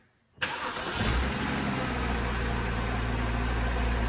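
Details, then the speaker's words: BMW 328xi 3.0 starting after a starter replacement; it previously would not start. Quick crank, then the engine catches at once and settles into an even idle with no grinding or stumble. Normal start. "all right I think we got it so far everything sounds good"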